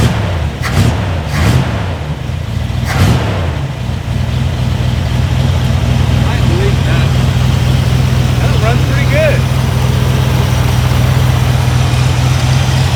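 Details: Long-sitting Jeep Cherokee Chief with float bowls primed with gasoline, fresh oil and a hot battery; a few cranking bursts, then it catches and settles into a steady, even, smooth low-rumble idle.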